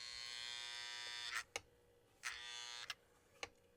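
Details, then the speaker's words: Postwar Lionel #57 AEC diesel switcher, bought not working, on a test transformer: harsh electrical buzz bursts with clicks, and the motor does not run. It seems stuck in neutral; owner's preliminary guess is that the e-unit roller is not turning. "I see hear the eunit going sounds like it's just stuck in neutral okay nothing's happening there okay uh preliminary I'm going to say it's probably the e unit that roller is not not turning inside the eunit"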